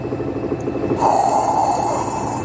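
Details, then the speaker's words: Electrolux LT15F 15 kg washing machine on spin after bearing replacement: drum spins up to a clean, even hum with no rumble or growl, the former iron-dragging roar during spin gone; bearing replacement fixed it. "ronco entendeu só o rolamento só troca do [Música] rolamento viu"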